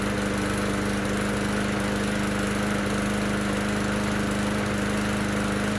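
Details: Bolens mower after a new notched gasket fitted; small single-cylinder engine holds a steady, even drone with constant hum, no stumbles or surging, running cleanly now.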